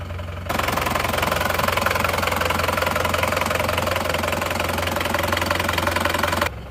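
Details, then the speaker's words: Isuzu Panther diesel; nozzles 2 and 3 still leaking, not yet fixed; steady, even, regular idle clatter with no knock or miss; normal idle. "ada suara ada suara nk-kk di seakkernya ini sudah kita ganti"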